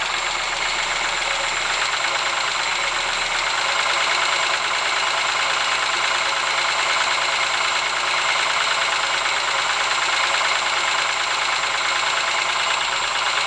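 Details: Ford Sierra engine at steady idle: uneven, fast knocking over a thin, tinny engine sound. An engine knock, source undetermined.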